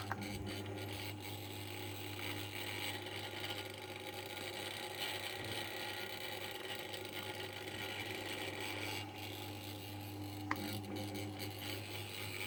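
Quiet fan hum with a low steady buzz and faint scattered rattles over it; something loose is buzzing and rattling on the fan.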